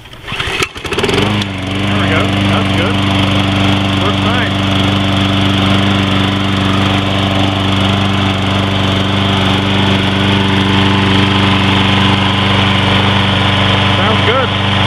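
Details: Troy-Bilt 21-inch push mower with 6.75 HP 190cc Briggs & Stratton engine, ready-start with no choke or primer: starts on the first pull, then settles into a steady, even drone with no misses or knocks; normal running.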